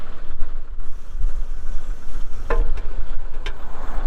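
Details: 2023 Kubota M62 tractor loader backhoe diesel, 227 hours, just started: low even rumble settling into steady idle, no knocks or misses; engine healthy.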